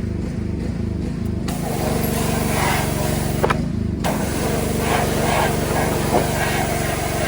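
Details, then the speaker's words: Small engine, likely the pressure washer used to clean a 2003 Dodge Ram 3500 Cummins diesel with 559,000 miles, chugging with an uneven, lumpy beat and wavering note instead of a steady drone; running rough. "Oh. Pressure washer isn't too happy today."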